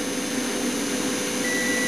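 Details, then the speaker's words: Solinba 3000LF low-frequency inverter at about 3.8 kW load (kettle plus electric fire), above its 3 kW rating: steady hum and hiss with a thin high overload alarm beep; it keeps supplying the load, and the alarm light later flashes. "the alarm light is on and it's beeping you can perhaps hear the beeping but it's clearly quite happy supplying that"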